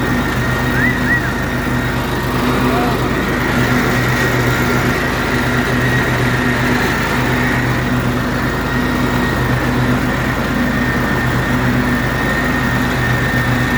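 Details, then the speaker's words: John Deere L130 riding mower with a new deck bearing housing replacing failed bearings, test run after reinstalling the deck: steady, even engine drone with smooth deck whir, no grinding or rattle; issue fixed, running clean. "Yeah, that definitely fixed the issue. Way better."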